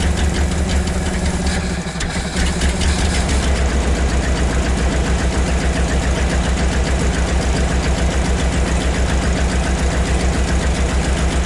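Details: 1975 Ford F750 pipeline truck V8 after a fuel filter change for weak fuel pressure: deep, steady idle with an even low pulse around three and a half beats a second; runs smooth, slightly better than before.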